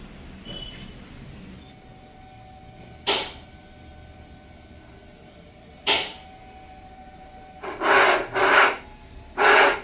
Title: Grinding noise from power steering racks can be repaired.Range Rover Evoque, Discovery and Defender.